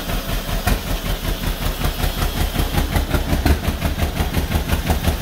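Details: 1949 John Deere B two-cylinder, first start after engine rebuild: thumping that lurches and stumbles instead of a steady pop-pop; rough running with vibration, parked on a slant, possibly running out of fuel; cause not confirmed.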